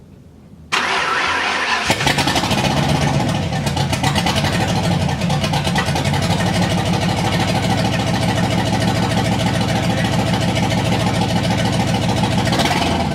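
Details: Freshly rebuilt Driftstang V8: starter whirs, it catches within a second and settles into a steady, even, lumpy idle with no misses or stumbles. It runs clean and normally.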